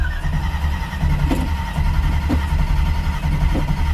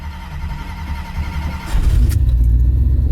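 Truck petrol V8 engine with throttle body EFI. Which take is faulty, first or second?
first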